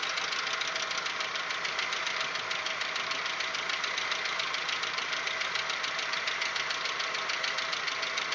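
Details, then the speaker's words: Audi 1.8 90 hp after cylinder head repair: sharp, fast ticking about three and a half per second at warm idle, louder and irregular as it warms, silent cold; cause unconfirmed. "мотор прогревается и начинает стучать громче периодичность тоже меняется"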